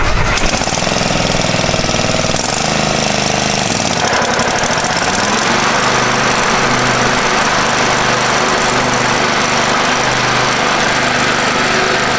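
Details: Free Craftsman riding mower after power wash and fresh fuel, deck lowered, mowing a yard; steady even single-cylinder drone while cutting, no misses or knocks, owner says running sweet and smooth; normal running under load.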